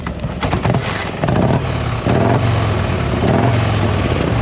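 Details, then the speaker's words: 1979 Harley-Davidson Shovelhead, unrun for about six years: catches after a few rough pulses then settles into a loose, lumpy V-twin idle; it had been flooded, now running fine. "All right, we got her to fire. She was just flooded before."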